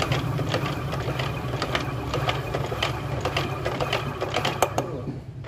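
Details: Recently bought Yamaha RX-King engine, harsh even after a new rebored block: the crankshaft turned by hand gives a dry, gritty rattle with uneven clicks; the worn crank main bearing is heard clearly, with the connecting rod also suspected.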